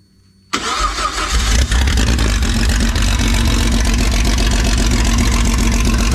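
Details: Freshly built Jeep 4.0 inline-six from a ZJ Grand Cherokee, converted to a 00-01 XJ coil-pack engine, on an engine stand at first fire: quick crank, catches and settles into an even, steady run with no knocks or misses; healthy.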